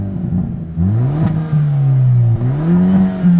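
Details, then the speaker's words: 2022 Hyundai Elantra N, 6-speed manual, 2.0 L turbo four with 276 hp, in Sport exhaust mode, recorded with in-ear binaural mics and the door open. Revs rise and fall smoothly with a deep, clean drone and a few burbles, no pops: normal exhaust. "A few burbles here and there, but no loud pops and crackles."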